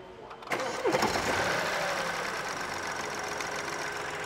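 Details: BMW with 70,000 km, after replacing the faulty belt pulley (the noise culprit) and belt: quick crank, clean start, smooth even idle with no knock, rattle or squeal; hydraulic engine mount found leaking oil.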